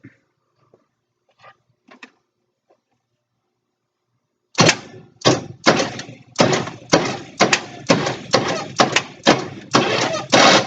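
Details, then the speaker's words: 1962 Cadillac Sedan DeVille, distributor out and timing way off: slow cranking with an uneven hollow pop about twice a second; suspected sticking valve or lifter popping back down, cylinder six exhaust found bent. "so it looks to me i do believe our popping noise is these uh tap it's getting stuck and popping back down from the sounds of it"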